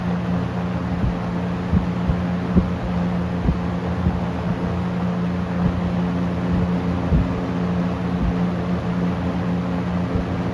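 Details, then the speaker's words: Restored late-1970s Toastmaster 7324 fan running on high: steady airy rush over a constant low motor hum, no grinding or rattling, only faint light ticks; owner notes an odd blade noise on spin-down; normal fan running on high. "So that's why I'm gonna try and run it overnight tonight, but without blabbing too long, let's turn the fan on high."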